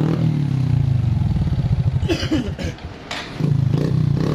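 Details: Honda Supra X 125 engine misfiring (brebet) and lacking power, uneven stumbling single-cylinder beat that falters and dips midway; valve noise also present; spark plug already replaced and carburetor cleaned; cause retarded cam timing (cam top shifted).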